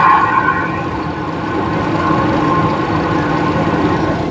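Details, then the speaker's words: GM Envoy on a hoist, engine running in four-wheel-drive high, heard through a pry bar on the hub: steady rough growl with grainy hum from a worn front wheel hub bearing. "so put it there and I can hear a real good growly noise"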